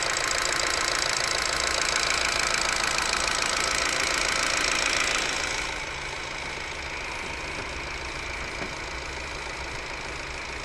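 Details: Ford Focus 3 idling: a crisp, very regular tick of about three and a half per second over a steady idle, easing after the revs drop. Engine knock of unknown cause; the owner is unsure whether it is normal.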